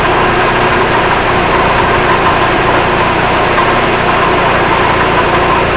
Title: Rattling sounds